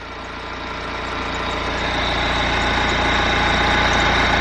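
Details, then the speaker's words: BMW E90 3 Series, cold start: steady high chirping squeak over idle from the accessory drive belt area, automatic tensioner visibly moving a lot; owner suspects belt system. "I know there is definitely a squeak coming from, it appears it's coming from the belt area. Now I know that the tensioner is moving around quite a bit. Is this normal?"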